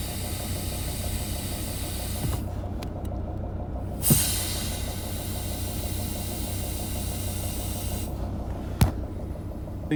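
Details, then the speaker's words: Mercedes ML270 CDI W163 diesel idling, recorded on an iPhone; soft airy hiss rising twice over the idle as the brake is pressed: leaking brake booster seal, which causes spongy brakes and hissing. "You've got spongy brakes, or you can hear a hissing sound."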